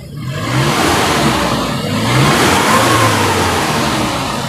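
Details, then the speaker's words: 2006 Suzuki Carry Futura pickup, used, after a road test: revs up to 4000 rpm climbing and falling smoothly, no misfire, knock or rattle, no stumbling; engine sound normal, no exhaust smoke. "ke RPM 4000 tapi suara masih tetap halus ya masih tetap enak tadi kita pakai jalan juga tenaganya Oke nggak masalah jadi Insya Allah mobil ini kondisi mesin bagus normal nggak ngadat atau nggak pincang gitu"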